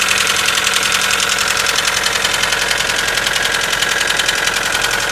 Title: Стук на холодную 4g94